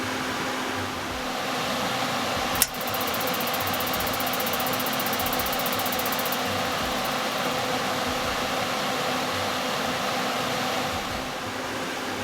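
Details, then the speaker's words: Suburban NT-20SE propane RV furnace in a tiny house, first test on temporary 12 V power, just lit with a big flame and starting to put out heat. Steady, fairly loud blower roar with a low hum and one click. Normal operation. "I mean, I see a big flame in there, but it's starting to pump out heat now."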